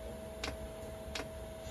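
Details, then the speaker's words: Chinese diesel air heater on an Eagle bus conversion, after reseating the fan Hall sensor to fix Error 06: soft single ticks about every 0.7 s over steady fan hum; fuel dosing pump ticking normally at startup before firing. "oh it's clicking now we should hear it fire up here if there's diesel 2 where it needs to be"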